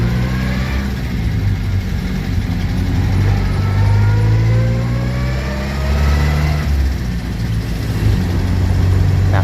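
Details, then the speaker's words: Manual gearbox while driving on a quiet road: a whine that rises with speed, very bad in 1st to 3rd gear and quiet in 4th, with the gearbox also jumping out of 3rd; the fix was replacing the complete transmission. "ketika gigi tiga tuh suaranya sangat parah sekali tapi ketika di 4 otomatis jadi sunyi dan transmisi pun itu gak loncat"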